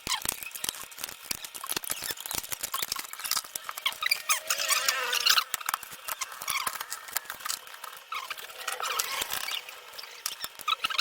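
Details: Toshiba Satellite C640 laptop fan: rapid uneven high ticking and chattering with no low hum as the blades strike a small scrap of paper caught in the fan housing.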